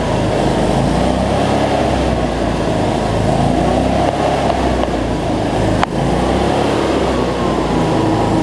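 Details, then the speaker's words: Cub Cadet zero-turn mower, Briggs V-twin, after fixing over-tight governor spring that made it race; no more black smoke from rich running; even, steady drone, no surging or hunting; normal running. "so much better though no black smoke so so all right let's see we got multiplied here so that's much better"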